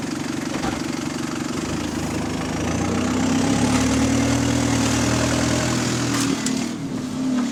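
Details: Diesel bus engine on route 386 with an XFE conversion, in limp mode: it idles and revs with a rough, rhythmic puffing of about three beats a second under the engine note, typical of a developing exhaust leak.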